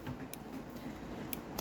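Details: Omnipod Dash insulin pod priming after being filled with insulin during new pod setup: scattered sharp little clicks, about one a second then a quick pair, over room noise, the normal priming sound.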